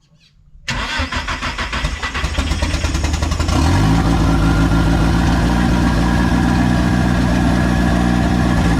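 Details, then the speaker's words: Engine on first start: cranks briefly, catches and settles into a steady fast idle with no dip, smoking from water. High idle; owner suspects a few air leaks. "Okay, so it's idling high, so we have a few leaks. Daddy needs to fix a couple leaks."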